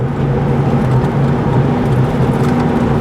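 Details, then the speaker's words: 2001 Dodge Dakota quad cab 4x4 4.7L, code P1391, accelerating onto the freeway with overdrive on; the truck jerks, and under load the note is uneven and stumbling as if one cylinder misses; a dealer later repaired a broken camshaft sensor wire. "So after it gets through all that, then it kind of sort of evens out. But I can hear it in the motor every now and then. It'll be like one cylinder missing at one time."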